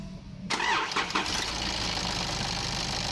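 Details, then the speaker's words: Nissan Patrol ZD30 diesel, heard accelerating parked or under load: fires up and runs with an extremely loud, thin, high-pitched squeal on top. "now as you could hear there that was a very distinctive noise it was actually Extremely Loud I had to turn the volume down when editing it so it wouldn't pierce your brain while you're listening to it"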